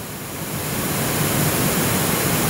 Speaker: white noise not too bad considering the extreme conditions of full volume everywhere but white noise listen to it